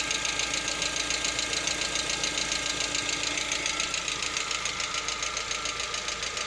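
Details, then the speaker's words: Lada Vesta, 64,000 km, partly warm around 50 °C: light, regular ticking knock just over two per second above steady idle; absent cold, fades at operating temperature, cause not pinned down. "Что случилось, вот непонятно. По мере прогрева проходит. То есть не совсем прогрелся, градусов 50 где-то."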